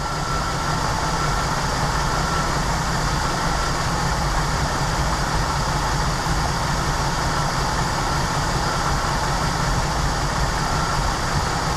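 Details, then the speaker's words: 1988 Jeep Wrangler YJ Sahara 4.2 inline-six, idle mixture being adjusted toward about 19 inHg vacuum: low, smooth, even idle with steady rumble, no stumbles or hunting over twelve seconds; running pretty nicely. "that gets us right at about 19 but I mean here's why I don't want to dig in into this hard she's running pretty darn nice"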